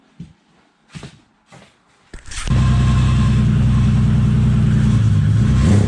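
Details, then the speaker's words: BMW E30 325is not run in years, fuel pump power restored: a few cranks, then it catches and settles into a steady, even low idle, running smoky after sitting. "Alright. She runs. She's smoky. But it hasn't been run in years."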